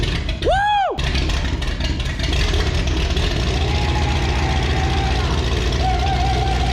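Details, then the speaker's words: 1962 Buick Invicta wagon V8, 53 years in a salvage yard, thought seized, first start on starting fluid: catches and roars at a fast, strong, even idle with no standout knocks. "When I grabbed this thing in the salvage yard last week, I thought that motor was stuck. Now she sounds like a top fueled dragster."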